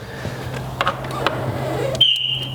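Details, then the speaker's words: Wrecked 2006 Lotus Exige, AGM battery reading 12 volts just reconnected: quiet, then a sudden steady high electronic tone near three kilohertz with chirps and flashing hazards; the security alarm triggered as power is restored. "wow, alarm's going off. No, we got power. Sweet. A little chirp."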